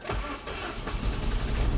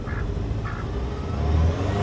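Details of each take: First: 1988 Saab 900 Turbo that sat for decades, started after rewiring: starter cranks in uneven pulses and the engine catches reluctantly, then runs terribly at first; hard starting, owner suspects clogged fuel injectors. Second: 1988 Saab 900 Turbo that sat for decades, engine warm and starting more easily after rewiring: rises and falls through two revs with a light turbo whistle climbing alongside; normal revving with turbo spool.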